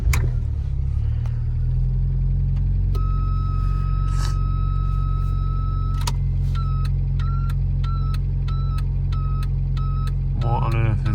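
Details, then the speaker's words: Mk3 Ford Fiesta idling: steady high buzz that holds, then pulses on and off, only when the lights are on; door switch replaced without change, cause not confirmed. "this is got to be something else it's only when the lights are on that this is happening"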